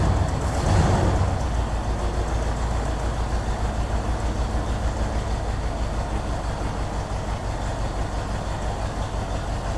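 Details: 1964 Ford Thunderbird first start via remote starter, about 5.5 V at coil: cranks, catches, then a lumpy idle around three beats a second, stumbling; misfire suspected, possibly from vacuum leak at carburetor spacer gasket.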